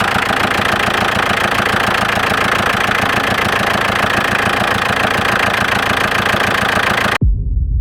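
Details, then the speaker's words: Audi 80 at first start: harsh rattling knock, about two beats a second, for seven seconds then abruptly stops; owner says it feels like a stuck clutch and pressing the clutch stops it, present since purchase; feared seized engine, cause unconfirmed. "it feels like the clutch is stuck and it's doing this sound and when you press the clutch, uh, it goes away suddenly."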